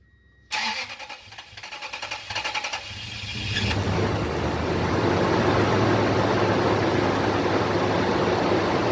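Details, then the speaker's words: Toyota 2UZ-FE 4.7 V8 after timing belt kit, water pump, fan clutch, accessory belt, tensioner and idler replacement: starter cranks about two seconds, catches and settles to a smooth idle; earlier squeal gone, normal start. "that sounds good yes squealing before could have been a belt could have been fan lunch everything sounds smooth right now"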